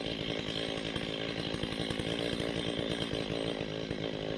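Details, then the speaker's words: Old STIHL 025 chainsaw at advanced idle during carburetor adjustment; turning the low-speed screw in makes it sag and bog from a lean mixture, and backing it out brings the RPM back up. "can hear it's bogging down, and then you turn it back, RPMs come back up, and then you turn it the opposite way, counterclockwise, until the engine drops RPMs again."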